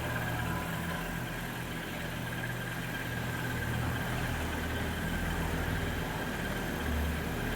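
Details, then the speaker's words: Audi RS2 six-speed, about 30 years old with 200,000 miles: quiet, smooth low idle hum holding steady, no stumbles or ticks; sounds healthy. "it sounds good running looks great"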